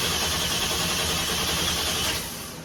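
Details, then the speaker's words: Starter cranks the Deadwood sled's engine steadily about two seconds with no catch or firing, then winds down, just after the wiring was finished. It cranks but won't start because the tank was empty. "Okay, guys, I'm back. We have fuel pump. We didn't have any fuel in it. It ain't got no gas in it. It must have been that empty."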